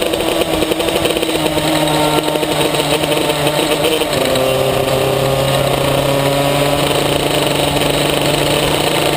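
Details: Maxter KZ2 kart two-stroke engine, slipping clutch test 2: revs climb and shift pitch without a matching steady pull-down under load; clutch slipping.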